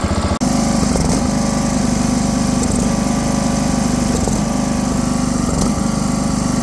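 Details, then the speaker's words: Briggs & Stratton 17.5 engine on a tow-behind mower after valve adjustment to 0.015 in; steady fast putter with irregular pops and stumbles, still spitting back through the carburetor, owner suspects valves need to be tighter. "so as you can see it's running a hell of a lot better than it was or it sounds better it's still spitting out of the carburetor a little bit"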